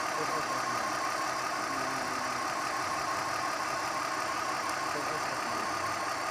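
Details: BMW E46 325i petrol at idle: uneven, stumbling beat from a misfire caused by a faulty ignition coil. After the coil was replaced the engine ran smoothly.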